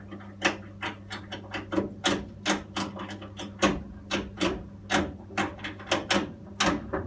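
Sharp irregular ticks and taps, a couple each second, over a faint low hum; a repetitive ticking from the boiler, cause unknown.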